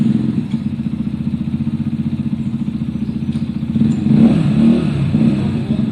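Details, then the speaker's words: A Zontes single-cylinder motorcycle, test-ridden after repair of its bad idle and cutting out when coming to a stop (valve clearances checked). Steady beat of about two firings a second, picking up cleanly with throttle, no stumble or cut-out; problem solved. "it ran beautifully guys and it did not cut out problem solved"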